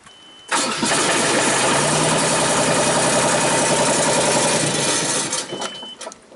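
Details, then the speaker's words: 2001 Genie S-40 diesel boom lift, starts then shuts off after about 4 seconds: engine catches and revs briefly, then cuts out as the start-stop module shuts it down for lack of a tach signal from the alternator; intentional shutdown. "ha there's your problem lady so this uh start stop module does not like the lack of a Tac signal and therefore we get intentional shut down"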